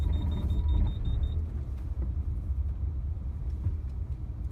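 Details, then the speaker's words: Lexus RX330 AWD (50/50 split, traction control cannot be turned off) on Michelin Latitude Tour all-seasons with about 15,000 miles, driven on snow: low tyre rumble, a string of high beeps, then uneven brake rumble as stability control intervenes to keep it straight. "So here it's letting me go a little bit, no intervention until it beeps. So then of course there it goes, really wants to keep you going straight."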